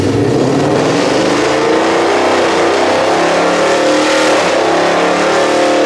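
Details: Whipple-supercharged 1200hp S650 Mustang, started after a bolt check on the lift to see if last night's crazy noises had gone: strong, even engine note climbing smoothly with revs, no knocks, clunks or rattles; running clean.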